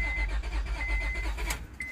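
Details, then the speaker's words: 2004 Honda Pilot 3.5L with a newly installed fuel pump and a dead battery: the starter cranks the engine at an even rhythm but it never fires, and no pump is heard running. The compression capture shows a dead hole, possibly more than one. Crank, no start. "Doesn't sound too good, guys. Let's come up here. Let's save this. Oh yeah, guys, we got a dead hole."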